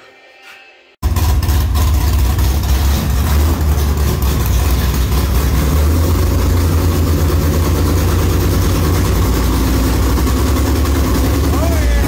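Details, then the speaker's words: 1957 "Bad Penny" converted back to 4-speed manual with 5.57 gears and a new combo, shift test: deep steady V8 rumble, engine speed lifting slightly at each shift, no clunks or grinding; shifts are barely audible and work well. "I can hear the engine speed come up as it goes boom boom boom like it you can't even hear the shift with you the engine speed your foot's the same but you can hear it speed up a little bit a little bit a little bit it works well"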